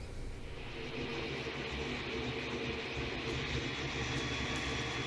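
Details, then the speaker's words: Creality CR-10 with BTT SKR Mini E3 V1.2 board on Ender-3-based Marlin firmware: loud steady stepper motor hum and whine over a busy drone; owner suspects stepper driver settings not set for quiet operation. "you can hear how noisy the motors are on this because the step stepper settings aren't right or aren't as quiet as they could be"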